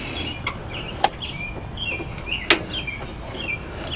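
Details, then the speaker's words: Toro Timecutter zero-turn mower repowered with a John Deere 24 hp engine, with no crank and no start: a single sharp click with the engine not running as the fuel solenoid energizes, though the parking-brake switch reads engaged and the key gets no power. "Can you hear that? That's the fuel solenoid."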